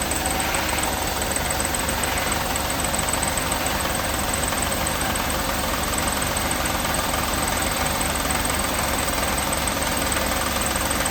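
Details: 1988 Mercedes 560 SEC (W126) V8 at idle: steady hum with a faint, loose knock about three times a second, which grew louder until the engine was shut off; cause not yet identified.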